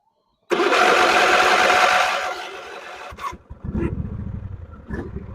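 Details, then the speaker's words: Craftsman riding mower started with the clutch/brake safety switch hot-wired out: it catches at once with a brief rush, then settles into a soft, even low chug with no misses. It starts right up and is nice and quiet. "Dude, this thing, that's great. Starts right up. It's nice and quiet."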